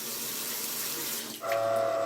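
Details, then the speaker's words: Mixer faucet: running water hiss gives way to a steady, clear whistling hum when opened; both valves sing, the worn valve cartridges likely need replacing; other possible causes named are loose pipes and no pressure reducer. "Ну тут они обе поют скорее всего наверняка робукс придётся менять"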